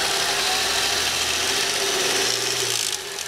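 A dense metallic rattle at roughly four per second rides over a bright idle hiss. It is a rattle at idle, source not pinned down.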